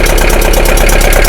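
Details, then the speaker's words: Abandoned Bedford CF2 2.3 diesel van, long-stored in a hedge/barn, first start: loud chuffing idle pulsing with a knocking edge, roughly three-and-a-bit cylinders firing, pressure pouring from the crankcase; heavy crankcase blow-by from a worn engine. "oh my Lord look at that you see the pressure coming out the crank"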